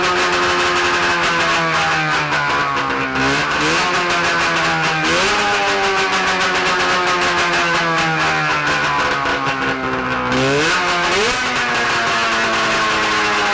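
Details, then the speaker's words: 670cc Bombardier two-stroke twin snowmobile engine (early-90s Arctic Cat) on a stand with expansion pipes, no muffler: raspy buzz rising and falling with throttle, firing evenly; sounds healthy, though throttle is slow to come down. "whoa that's louder than straight pipe 750 Oh easy my ears haha they're bleeding um it sounds so healthy sounds good"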